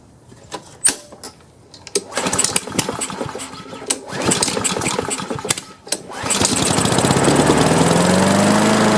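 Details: Free Craftsman self-propelled push mower, before repair: several cranking pulls, then it catches and runs with an uneven, lumpy beat on choke; rough running, needs carburetor cleaning.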